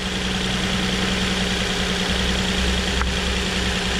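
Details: 2007 Nissan Murano 3.5L V6 with a cylinder 3 misfire (rear bank, under the intake manifold): steady idle with a slight uneven lope that doesn't change when that coil is unplugged; faulty ignition coil, fixed by replacing it.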